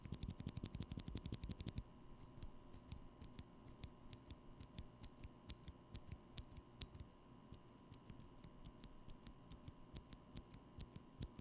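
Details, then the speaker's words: Holy Panda switches lubed and fitted with Korean Sprit 63 g springs, unfilmed: crisp, even clacks on each press with no metallic spring ping trailing them. "i'm happy to report that properly lubed these springs produce no ping that i could easily detect"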